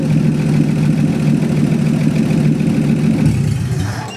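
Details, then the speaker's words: 1949 Chevy 250 cubic inch inline 6, started with splash of gas in carburetor: even steady low drone, no misses or knocks, then winds down cleanly; runs sweet, normal idle. "2 days in a row. Runs sweet. It does. 250 cubic inch inline 6."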